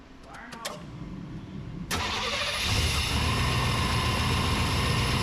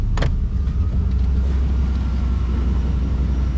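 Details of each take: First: 1992 Chevy C1500 just started after new spark plug wires, camera in engine bay: starter cranks, engine catches and idles with slightly uneven low pulses; running a bit rough, left to smooth out. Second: 1992 Chevy C1500 V8 idling around 700 rpm with AC on, now firing on all eight cylinders: deep steady rumble with no hunting or surging under compressor load; idle stable, owner considers it fixed.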